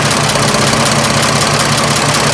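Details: 1926 Oakland engine, back running after 75 years, idling with fan spinning during water pump lubrication check: even steady idle, smooth low rumble, no knocks or misses; running fine.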